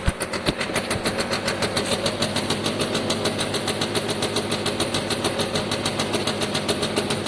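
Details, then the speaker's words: Free Piaggio Diesis 100cc two-stroke scooter at idle after revival; exhaust has a small hole, crisp even pops with no misfire, knock or hunting, running healthily. "Oh, I'm quite happy with that. To an extent, I think that's job done, really. Sounds great."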